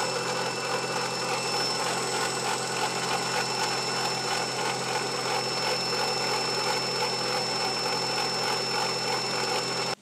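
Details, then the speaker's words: 2000 Opel Corsa B 1.4 16V with 140,000 km running with a harsh gritty whirr and rough pulsing from one side; owner suspects the water pump bearing, not engine damage; bearing running noise. "man hört es dass der definitiv von dieser seite starke laufgeräusche abgeben also das ist das lager definitiv einer wasserpumpe wovon ich jetzt erstmal so ausgeht es keinen motorschaden"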